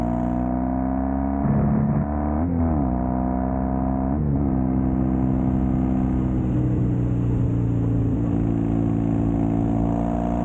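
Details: Custom Triumph Bonneville T100 with Down & Out drag pipes, after stage 1 torque kit and ECU remap: deep even grumble with clean throttle blips, no pops or backfires; normal exhaust note.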